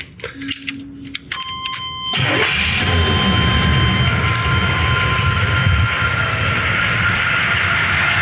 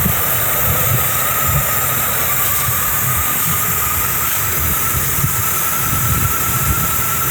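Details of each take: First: 1984 Chevy Monte Carlo after cutting back and reattaching a deteriorated, rusty line; brief cranking, then it starts and settles into a steady, even idle without misses. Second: 1984 Chevy Monte Carlo V8, abandoned for about five years, first cold start with the choke not working; lumpy, stumbling idle with faint hiss, apparently running on seven cylinders. Owner suspects a vacuum leak, possibly a cracked rusty vacuum line.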